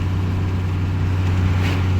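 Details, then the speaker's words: Second-gen diesel truck with an NV4500 gearbox, driving under light throttle, not floored. Deep, even rumble and low steady drone with no knocks or rattles; engine sounds healthy. "Sounds really good. It doesn't chew like Otis does though. But I guess it does make like 3 times the horsepower."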